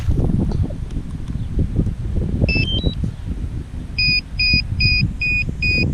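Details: DJI Mavic Air remote controller fault: steady two-tone beeping about twice a second, heard outdoors over wind and traffic. The controller also moves on its own and moves the stick via the gimbal wheel, and the cause is unknown.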